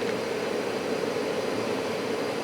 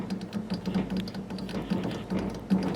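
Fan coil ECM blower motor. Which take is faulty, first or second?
second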